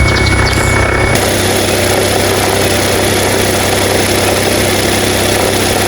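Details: Nissan Note NISMO e-POWER (HR12 engine), bought used, about six months after delivery; steady idling drone with uneven, loose throb about 160 times a minute underneath; abnormal engine noise at idle, cause unclear.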